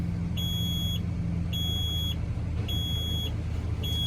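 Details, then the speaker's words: Junkyard garbage truck with batteries under 10 volts, jumped from a Silverado for about 15 minutes while being revved a little: steady half-second beeps repeating about every second over the idle rumble. Low battery voltage warning. "and I'm in the truck sort of revving it a little seeing what's gonna happen that voltage is still too low"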